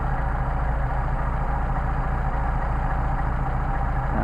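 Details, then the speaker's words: Mercedes 190SL carburetors on test after setting idle mixture screw to the midpoint where it runs best: smooth, even idle, steady beat about three pulses a second, no stumble or hunting; well set. "Sounds good there. Same thing over here."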